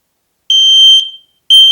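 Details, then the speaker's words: KARUOTOP smoke and CO alarm with a built-in 10-year battery and an 85 dB at 3 m rating, test button pressed: loud, steady, clean half-second beeps. Three beeps every 4 s mean smoke mode and four beeps every 5 s mean CO mode; it is working normally. "To test it, 3 long beeps repeating every 4 seconds for smoke alarm mode. Carbon monoxide alarm mode, 4 beeps repeating every 5 seconds. So 3 beeps is smoke, 4 beeps is carbon monoxide."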